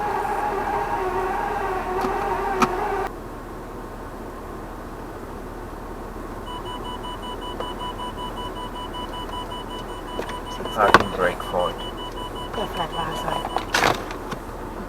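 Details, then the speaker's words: Land Rover Discovery 3 (LR3): dash-cam recording of the electric park brake module failing during a trip, with a steady high warning buzzer for several seconds over cabin hum and odd clicks; fault later checked with an OBD diagnostic tool. "we have the noise the park brake module made when it failed and you hear the buzzer going off"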